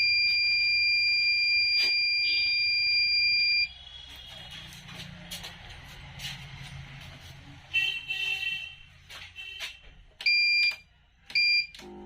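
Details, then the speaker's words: V-Guard Jaadu 800VA inverter drawing over 10 A: a long shrill beep for about three seconds, then bursts of short sharp beeps as it trips to overload; a short in the gate section and a burnt MOSFET are found. "Ampere आपका 10 से ऊपर ले रहा है देखिए फिर overload में चला गया"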